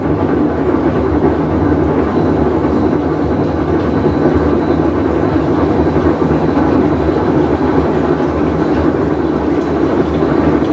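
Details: Whirlpool Cabrio washer on a full wash cycle: loud, continuous deep rumble like a passing train that holds steady through agitation; worn tub bearing.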